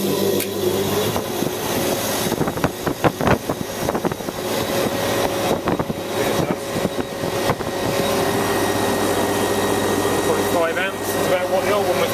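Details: Newly fitted replacement 180W fan motor hums steadily with an even low drone once the early clatter dies away; runs smooth and healthy.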